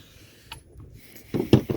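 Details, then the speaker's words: Mercury 40hp two-stroke outboard, leg removed, crank turned slowly by hand: loose metallic clunks and rattles of broken bearing fragments tumbling inside the grinding-damaged crankcase; crank must be split. "when i turn it you can hear bits of metal in there two more bits of bearing spinning around"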